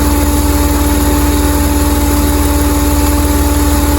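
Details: 2007 Jeep Commander after rack-and-pinion and power steering pump work, noise still present: steady mid-pitched hum over an even idle pulse, initially thought to be the pump but traced to a collapsing vacuum hose.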